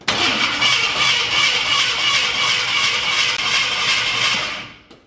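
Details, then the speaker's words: Turbo Ford 360 FE V8 in an F100 during cam break-in, after a big pop while revving: starter whirs fast and even with no grinding, engine spinning very freely with zero compression; cause unknown, possibly head gasket or hydrolock. "But now the engine rotates very very freely almost like it has zero compression."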